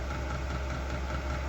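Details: Chinese diesel heater drawing fuel from an upgraded 5-gallon tank with no air bubbles in the line; paper filter to be swapped for mesh screen; steady low combustion roar, even hum, no sputter or surging; burning cleanly, normal running.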